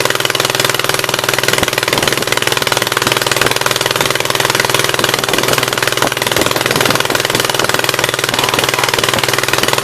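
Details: 1976 Gravely 816 twin with the choke held open manually, started on old but still burnable gas: uneven, lumpy chuffing about four beats a second with loud rough exhaust, running only on the right-hand cylinder; owner is almost sure the other side's exhaust valve is stuck open.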